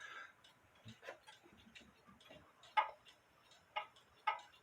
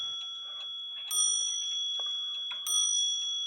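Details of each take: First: it's out of beat so I have to adjust that also Second: Clock gong, after the hammer wire was adjusted so the hammer sits spaced off the gong instead of touching it and sounding dead: two clean, bright strikes that sustain and fade evenly with no buzz.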